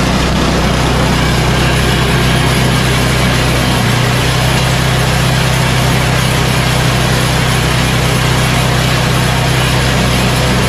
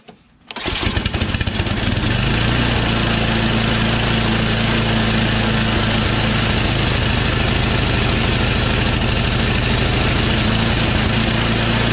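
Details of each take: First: Yard Machines 8 hp Tecumseh snowblower after new carburetor and tune-up, at full throttle: loud steady single-cylinder drone holding speed evenly without surging or hunting; running smoothly. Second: Yard Machines Tecumseh 8 HP snowblower: engine runs unevenly, speed rising and falling; old fuel likely left over summer, no priming, carburetor believed clogged and fuel-starved; carburetor 632334A replacement.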